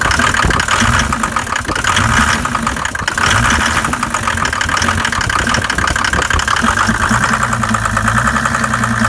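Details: Mercedes OM606 diesel at cold idle: rapid clatter with a heavier rhythmic knock near the end; cause was leaking intake valves, fixed by replacing valves and lifters.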